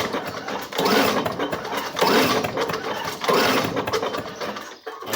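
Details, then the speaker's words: 1985 Lawn Boy model 7350 two-stroke mower that sat outside for at least three years, cylinder treated to free a stiff piston, then pulled to clear the cylinder. Three slow pull-starts, each with a ratcheting whirr and firm resistance. Good compression heard. "can hear compression so that's a good sign"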